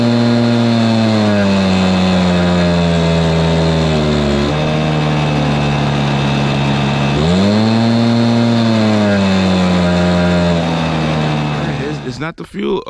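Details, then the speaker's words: Stihl BR430 two-stroke blower bogging and losing power at full throttle: the note sags and wavers, then recovers. Carb adjustment made no difference and the spark arrestor looked only slightly dirty. Owner suspects a fueling or carburetor issue. "so everything is pointing towards still pointing toward a fueling issue but it's looking like it may have something to do with the carburation the carburetor"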